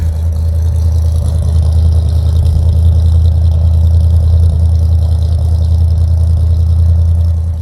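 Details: 1965 Chevrolet Impala convertible with new Chevrolet 350 crate V8 and Muncie 4-speed, cold start with choke set: deep, even low rumble holding steady, no knocks or misses; idling cleanly.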